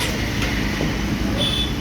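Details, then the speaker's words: Bajaj Pulsar with code P0508, started after fitting a new part (36PF0178), fault then cleared itself: low even idle with steady beat, no misses or hunting, over light street noise; healthy idle. "இப்போது பக்காவாக இருக்குது. இந்த மாதிரி வாங்க start பண்ணுறோம்."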